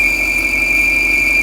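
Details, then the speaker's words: Audi RS5 with code P2279 intake leak at idle: a steady, high, thin squeal from air sucked past both failed PCV breather valves. It fades when the cap is removed; fix is replacing both breather valves. "Okay guys, we got a RS5 with a Focal P2279 uh leak in the intake system and uh look how it's making the noise. Okay, when you remove the cap here, it kind of goes away."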